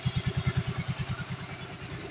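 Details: Yamaha Soul GT 125 scooter, over five years old, that ran hot and rough from a weak oil pump. After the oil pump repair it idles with a smooth, even low thump of about ten beats a second, no rattle or knock, and no longer smokes.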